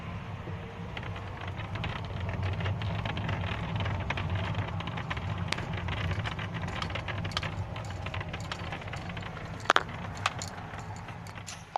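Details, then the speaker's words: Hyundai i40 while driving: scattered light clicks and creaks over steady road rumble from the upper front dashboard panel under the windscreen rattling; panel removed, mounts seem tight, owner plans to glue or pad it. "вот так вот трещит панель на хендай ай 40"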